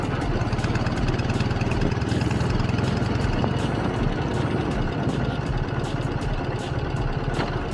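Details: K-750 motorcycle after mufflers welded and repainted to reduce noise; steady, loping twin-cylinder idle with deep even exhaust beat, a bit loud but regular: normal idle, owner judges the sound acceptable.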